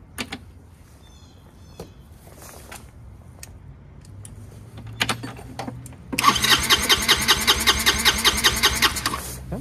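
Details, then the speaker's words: Chinese GY6 150cc scooter with brand-new replacement carburetor: starter spins engine with steady rhythmic whir but it never fires without priming or starter spray; cranks but won't start. "it's actually not going to start unless you prime it or give it some uh help you know with uh starter"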